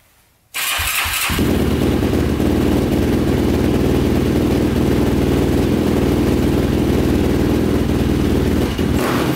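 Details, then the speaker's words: 2005 Yamaha YFZ450 big-bore quad, first start after rebuild and shifting fix, fresh oil; catches first try and settles into a steady even single-cylinder beat, no knocks or rattles, though exhaust pipe glows red hot; normal running. "it sounds good runs good"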